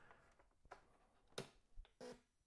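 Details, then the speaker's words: Atari 800 switched on with no cartridge, which should boot to Memo Pad: only a brief quick chirp instead of the normal boot sound; the owner suspects a bad POKEY chip behind a non-working SIO port. "that's all I get that quick sound yeah that's not the normal sound and I didn't see that"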